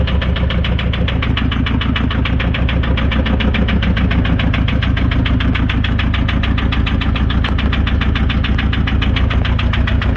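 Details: VW Touran 2.0 TDI (BKD) diesel idling: a steady, regular knock runs through the clatter at about three to four beats a second. The cause is unknown, and the turbo is also leaking.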